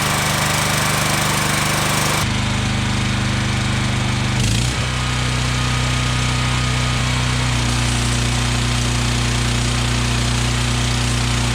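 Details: Generac 7000EXL generator, unused for over 10 years, running after fresh fuel and oil and air filter checks. A steady drone with a brief early shift in note, then an even run; normal running.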